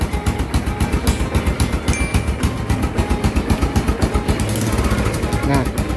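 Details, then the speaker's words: First-generation Honda Supra X 125 single-cylinder throttle blips: thump picks up quickly and cleanly, about four pulses a second at low revs, no knocks; very responsive, engine smooth. "sangat amat responsif guys."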